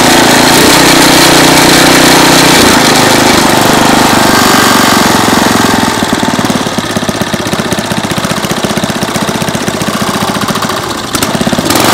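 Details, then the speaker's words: 2001 Briggs & Stratton 5 hp OHV engine on a chain-drive rototiller, after repair and cleaning: loud, steady chug at about three beats a second with even firing and no knocks; the engine runs cleanly. "she's running great everything works on her everything's clean"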